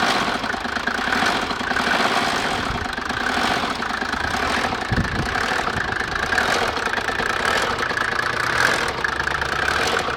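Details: Mercedes OM603 turbodiesel idling with a busy metallic rattle over the combustion knock from the timing chain, before the chain was changed; the noise went away after replacement.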